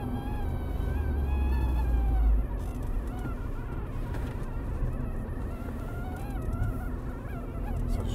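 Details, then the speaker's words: Car interior while driving: thin, buzzing whistle with stacked tones over road rumble, coming from the front area; louder when the ventilation fan is turned on, gone when stopped; air vent whistle, suspected ventilation-related. "das weg jetzt das ist sehr komisch an ist eine lüftung machen lauter aber es ist wenn du angst die lüftung anmache wird es lauter und es ist weg wenn ich anhalte"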